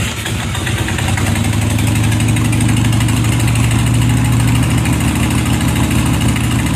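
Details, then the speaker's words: 2001 Harley-Davidson Sportster 1200 Custom V-twin, cold start after turning on and priming: it catches almost at once and settles into a steady, loping idle with an even deep pulse. Normal cold start and idle. "Okay, we're going to cold start the Sportster so you can see how it starts up cold."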